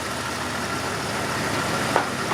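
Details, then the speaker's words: Barn-found Jeep XJ after oil pump replacement and correcting the timing stroke: a steady, even idle with no knocks or ticks and 60 psi oil pressure. The engine sounds healthy. "and now it starts it's got 60 pounds of oil pressure thank God"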